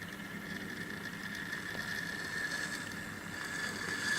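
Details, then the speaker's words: Hornby 8F model locomotive on track: a faint steady scraping over the motor whir comes from the stiff tender wheels dragging, not from the motor. "That's kind of scraping noise you can hear. That's actually not the motor of the engine. That's the tender. The wheels seem a bit stiff on it, so go coupled up."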